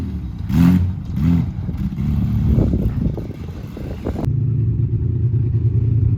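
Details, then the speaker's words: Widebody BMW E30 on MegaSquirt ECU, test drive: revs rise and fall with uneven clatter and lumpy pulls through the gears; owner says it has tuning issues; rough running under acceleration. "i know it sounds really crazy but and it has tuning issues but it's so great"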